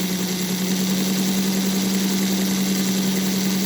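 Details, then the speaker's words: 3D-printed NGS Northern clone chassis, beta 1.1, with accurate printed axles, run up to about 70–80% power: steady, unwavering motor hum with no ticking or binding from the wheels; smoother than earlier ball-bearing chassis. "Boy, is this smooth though. You just Man, this is this is smoother than any of the others uh that I put the ball bearings on the other chassis."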